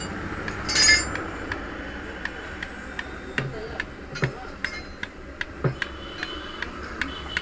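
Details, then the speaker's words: Hero Honda Splendor engine, off, crank rocked by hand: sharp metallic clinks at each rock show up-and-down play in the connecting rod big end. "अब in Paris की आवाज यह आवाज़ कर रही है लेकिन यह आवाज इसलिए कर रही है कि यह जो करेक्टर है दोस्तों यह ऊपर नीचे प्ले हो चुकी है"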